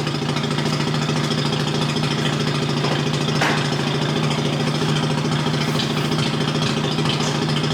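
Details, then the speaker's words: First cold start of a BMW after sitting in a damp garage a few days, Mazda RX-8 also running nearby: steady, even cold-start idle with a smooth low drone, no knocks or misses; owner attributes exhaust moisture to sitting and rules out a gasket leak. "If you have a car and it sits in the garage for a few days, it'll have moisture in the exhaust."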